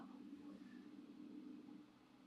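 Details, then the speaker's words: DryWise inline filament dryer drawing about 350 W at first power-up: steady, fairly loud fan whoosh with even low hum, no wobble or rattle; normal cooling fan running. "the fans are pretty loud your dry wise is ready"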